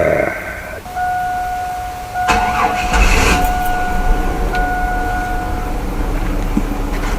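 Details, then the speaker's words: 2005 Chevy Astro van that intermittently died in traffic from a suspected fuel pump wiring fault, started to test: steady electric hum of the running pump, slight gurgle, then the engine catches and runs evenly with no stumble or stall. "so right now the pump is running or else it would just burn it kind of gurgles a little bit"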